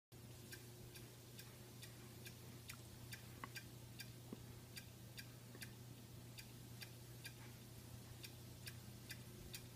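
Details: Xbox One console making sharp, light repetitive clicks about twice a second over a faint steady hum, in sleep mode; it also clicks while running, with or without a disc in the drive; cause unknown.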